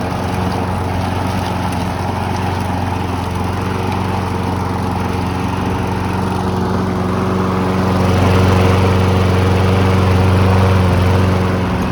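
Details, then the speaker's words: Briggs & Stratton walk-behind mower bought cheap after sitting abandoned: it smoked at first, then smoothed out and settled into a steady governed drone that rises slightly under load; normal running. "smoothed out started running better ran for a couple minutes and seemed to be running nice and smooth when I shut the thing off"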